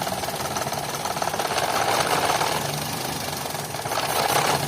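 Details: 2011 Toyota Vitz idling rough with irregular pulses about three a second, engine light blinking, code P0303 cylinder 3 misfire; cause was cylinder 3 fuel injector pulse wire connected wrongly/swapped, fixed by correcting wiring.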